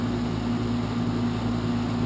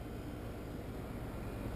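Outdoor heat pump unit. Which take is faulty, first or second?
first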